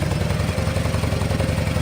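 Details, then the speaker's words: Harley-Davidson V-twin idling after repacking empty mufflers with fiberglass: even mellow lumpy idle, steady loping pulses, no knocks or rattles; noticeably different from before, healthy exhaust. "It's mellow. It's got that distinctive Harley Davidson sound, but it's just like you can listen to that all day. It's not going to drive you nuts. Anyway, there's a noticeable difference from what it sounded like before."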